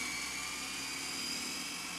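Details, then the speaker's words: Panasonic NV-SV121 S-VHS video deck after loading-mechanism repair, fast forward: a steady, high, even whir that ramps up and holds full speed with no catching or slipping; tape transport works normally. "Fast forward. Just wait for it to ramp up to full speed if it's going to. Yeah, that sounds"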